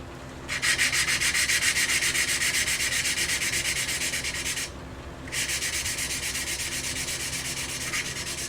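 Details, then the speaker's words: Briggs and Stratton engine of Ex-cell VR2500-1 pressure washer, second lapping pass after cleaning: gritty rhythmic scraping strokes about four a second, smooth and even; the valve seats for a good seal. "You can hear the cut-in. It gets quieter and quieter and quieter and quieter. It's quite a therapeutic sound. And that's how you know you're getting a good seal."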